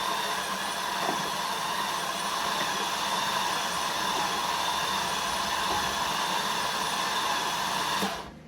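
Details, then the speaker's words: 1998 Cadillac Seville STS, Northstar 4.6 V8, blown head gaskets, previously hydrolocked and frozen, fuel pump fuse pulled: labored starter whir for about eight seconds with faint uneven beats and no start; owner suspects a low battery; liquid expelled. "Yeah, so I don't know if the battery's just a little bit low and it's not cranking it over really fast, but yeah, there's definitely some nastiness going on there."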